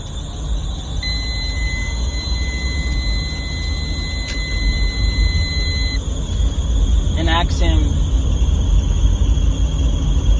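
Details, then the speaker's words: Daihatsu Atrai at idle: a steady high squeal holds about five seconds then cuts off abruptly. Steering was very hard, but the power steering fluid was full and the underside was oily again; owner suspects a hose. "I could stop by today to fix this sound. And he's gonna call me back because it doesn't stop now. It's actually really, really bad. That's why I thought I had no power steering fluid."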